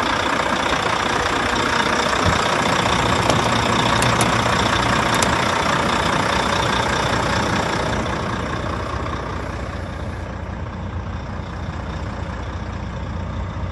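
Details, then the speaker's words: 2013 Volvo FM 480 tractor unit, heard from the cab: even, steady diesel idle with a smooth drone and no knocks or rattles; no oil leaks on the engine, the engine runs smoothly. "Как вы слышите, двигатель работает ровно."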